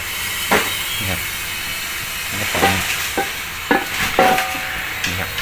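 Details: Household refrigerator with compressor running but not cooling, refrigerant leak repair: steady high hiss of refrigerant gas being released from the line with a few handling knocks, during recharge while the unit is plugged in and running.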